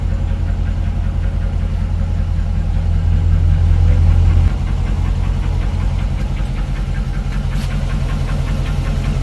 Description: Hemi 5.7 engine ticking on idle,but with idle rised noise disappeared, head was removed to check the lifters and all was good,problem found cilinder damage duo to poor maintenance and engine abuse